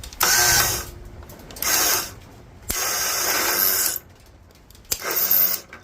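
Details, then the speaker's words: Toro Wheel Horse 265 garden tractor, battery ground corroded and popping: four short, harsh grinding bursts with no catch as the key is turned; the starter motor is failing and needs replacing. "well starter definitely is not happy we'll have to go look in the junkyard go from there"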